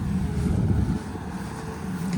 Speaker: Excavator's fired up. Now we're gonna let it run for a while so that the batteries can get charged up.